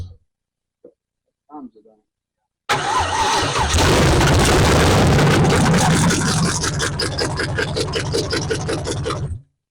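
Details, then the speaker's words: 1968 Camaro, 327 V8 said rebuilt then sitting 15+ years, Powerglide; after silence the starter bites and the engine fires straight up, settling into a steady, even lumpy idle with no misses: it runs. "I'm excited this is gonna this is gonna light oh yeah sounds promising"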